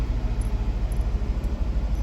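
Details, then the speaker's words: 2018 Fiat 500 with about 20,000 miles after being filled with diesel and fuel pump replaced: lumpy idle stumbling as if on three cylinders, check engine light flashing; misfire from damaged spark plugs and valves, low compression. "está fallando como que si estuviera trabajando sobre 3 lindroos vienen como flecha o prende y se apaga la luz del check engine"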